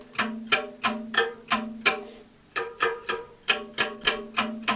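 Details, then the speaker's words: Bicycle wheel after a broken spoke was replaced, wheel still out of true: plucked spokes give short ringing twangs, and the newly fitted spoke sounds noticeably duller and lower than its neighbour. It is under-tensioned and needs more turns. "can hear that the one we've just tightened up is much duller sounding than the one next to it. That's the one we broke. It hasn't got enough tension in yet."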